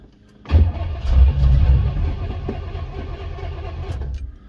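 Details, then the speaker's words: 1974 Pontiac Ventura, sitting 3 years, rebuilt Edelbrock carb, old possibly watery gas diluted with fresh: engine barks into life, rough uneven pops and flames through the carb, falters; backfire through carburetor, cured by moving accelerator rod to bottom hole. "No, it wants more fuel. He's backfiring through the carb for some reason."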